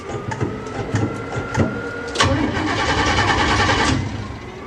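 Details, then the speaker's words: Car with 406 engine after new relay/fuse panel install, distributor connected, fuel present, not started in a long while; starter cranks in uneven bursts around a hundred turns a minute but never fires; crank no start. "oh come on don't disappoint me i guess it doesn't want to start really what am i missing"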